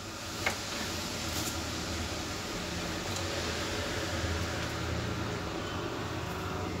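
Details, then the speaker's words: HP Probook 4420s laptop cooling fan after cleaning with contact cleaner and reassembly: steady, even airy hum with no rattle or earlier noisy vibration; normal fan running. "Kevin nya lancar ya tidak terdengar berisik seperti tadi"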